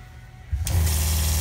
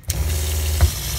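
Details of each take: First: Shurflo 4008-101-A65 water pump in Escape travel trailer after pressure-switch adjustment (quarter turns counterclockwise with 5/64 Allen key) so it stops after water shut off: short steady low hum, then clean stop; normal pump cycling. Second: Shurflo 4008-101-A65 water pump in an Escape travel trailer keeps humming steadily after the tap is shut because the pressure switch is set too high; fixed by turning the Allen screw counterclockwise until it shuts off.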